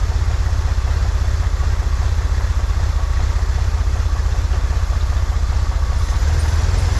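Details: 1963 Corvair flat-six after vacuum leak fixed, new PCV valve, fuel mixture adjusted: steady even idle, slightly fast but clean; "that's the sweet spot," idle still a little high, to be brought down. Normal idle.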